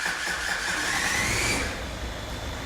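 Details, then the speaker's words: Starter turns slowly and labours with a dry, dragging drone before catching; the alternator charges fine at 15 volts (smart charging), so the weak, low battery is blamed rather than the starter. "the starter motor doesn't sound great but I personally my money is on the battery just through my experience but when you come to start this thing up it sounds Dreadful"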